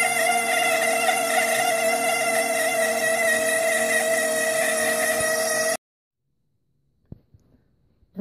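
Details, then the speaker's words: HP LaserJet 1200 printer with side and top covers removed: steady high-pitched squeal that stops dead when unplugged, traced to the laser scanner motor; fixed by lubricating the motor. "what I did is I took the sides off and the top off and did a little bit of investigation, and I found out it's the laser scanner making the noise."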